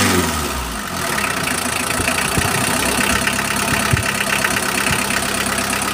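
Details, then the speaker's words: L300 diesel at idle after its injector nozzles were cleaned, earlier rough running with power loss: an even, steady diesel clatter with no misses or heavy shaking; the engine now runs stable and normal. "Jadi, sekarang saya melihat mesinnya tidak lagi bergetar hebat, tidak lagi kasar. Eh, cukup jelas. Yang jelas ada perubahan, suaranya sekarang stabil, teman ."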